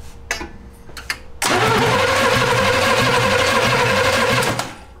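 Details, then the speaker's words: 1971 Jaguar XJ6 with a small-block Chevy V8, sitting 5+ years, first start attempt after new fuel cell, plugs, wires and oil: starter cranks steadily about three turns a second for three seconds, never fires; fuel not yet pulled up to engine. "no you're good we're it's going to have to pull fuel all the way up from"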